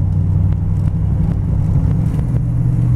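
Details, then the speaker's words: 1950 Ford F1 sedan delivery resto mod, 350 V8 with 350 automatic, driving gently down the road: deep even low rumble, no knocks or misses, really quiet; normal cruise. "really quiet nice little driving a rig anyway"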